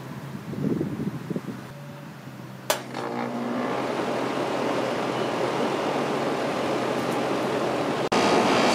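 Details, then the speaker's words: Home AC unit after replacing a bulging run capacitor that stopped the fan and left air lukewarm: a click, then the compressor hums in and the fan whooshes to a steady, even run; healthy. "as you can see everything is running um you can hear the compressor and the fan come on of course"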